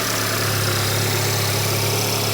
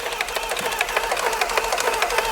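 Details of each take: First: VW Golf R Mk7 salvage car, first start, no coolant fitted, weak battery: smooth, even idle with a steady low hum and no knocks or misses, followed by a brief blip. Engine sounds healthy, no leaks. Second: Salvage VW Golf R Mk7 cranking on a jump: fast tinny metallic clatter, roughly six uneven hits a second, from the cam chain area; engine suspected badly worn, cam chain suspected, not confirmed.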